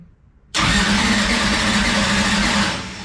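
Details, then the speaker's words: Freshly installed engine in new Elite chassis, first start, fuel lines never filled before: steady cranking about two seconds that never fires, attributed to not enough fuel; spark checked, timing set on distributor. "we don't have enough fuel in fuel just give give her give her a little uh guas you think at least about"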